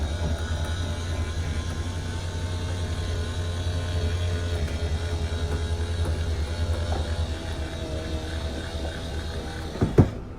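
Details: RV slide-out room after repair (manufacturer-authorized rollers installed, in/out cables tightened), moving: steady even motor hum about ten seconds, no jerks, then a soft thump as the room seats; jerky slide fixed.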